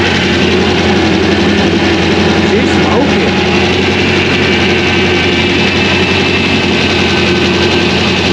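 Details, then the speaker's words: 2001 Trans Am WS6, 500hp LS1, first start since engine-dyno break-in, untuned with stock injectors and mass airflow sensor, GoPro audio: a loud, deep V8 idle with a choppy, loping aggressive-cam beat, steady and healthy. "yeah now you can hear the chop there's the chop baby so there it is folks it's alive"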